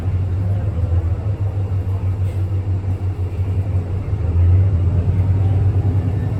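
A loud, steady low drone fills the cabin and swells slightly near the end; something unusual is droning, source not pinned down.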